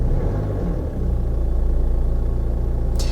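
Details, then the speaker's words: Jaguar XE, manual, Ingenium diesel, just after start-up, engine light on, low fuel and diesel exhaust fluid: settles into an even idle with a loud, regular diesel clatter likened to a broken sewing machine; rough-sounding but normal. "the old ingenium probably one of the worst sounding engines ever listen to that i've said this before but they just sound like it sounds like a broken sewing machine"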